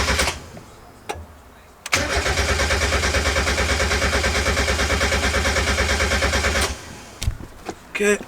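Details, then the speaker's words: Turbo Miata four-cylinder, first start after the turbo build: all four injector clips unplugged to prime oil. About five seconds of steady starter cranking with no firing, as intended. "so I just unhooked all four injector clips and now we'll just try and prime it"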